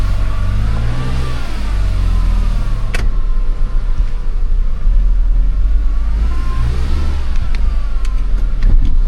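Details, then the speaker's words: Used car that warms up and then won't move, as if the transmission has no fluid: engine revs up and down with a thin whine rising and falling, heard from the transmission pump. Suspected low fluid, not confirmed. Transmission pump whine. "And I hear that pump in there making noise. Yeah. Let's check the fluid level."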